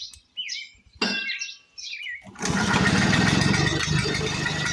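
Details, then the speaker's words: 1940s Frazer B1-7 rototiller, revived after years in a shed, now with fuel in the tank and carburetor tapped: single-cylinder engine catches and runs with a steady, busy, evenly timed beat, sounding healthy. "what do you guys think of that boy listen to that thing"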